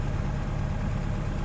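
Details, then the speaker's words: Jabiru aircraft engine with Rotec liquid-cooled heads (fitted 2012, never touched), E-ignition, TBI and a 45A alternator, warm, idling just under 1000 rpm: smooth, even low drone with steady firing and no misses or knocks. Normal warm idle. "And this engine's just going to run cool as a cucumber with these liquid cooled heads, which have been on there since 2012, never touched."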